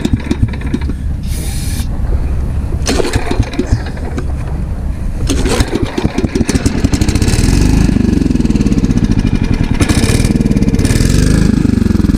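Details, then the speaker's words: Ditch Witch trencher with an engine swapped from another frame, after pumping water out of the fuel; engine runs, then the note sags and wavers as hydraulic load comes on; engine bogging under load. "all right here we go well Hydraulics bogged it down"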